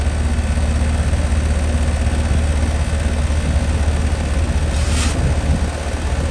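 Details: 2011 ICP 3-ton R22 heat pump, called in for buzzing, a very hot condenser fan motor and a compressor suspected in thermal overload from a bad capacitor: a steady, even hum with constant fan rush and no knocks or rattles. The condenser is running normally.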